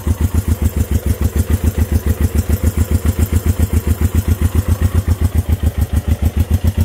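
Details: Honda CB350 twin, first start in 13 years: slow heavy lumpy putting about three and a half beats per second at idle; running on one cylinder, one side's points not sparking properly.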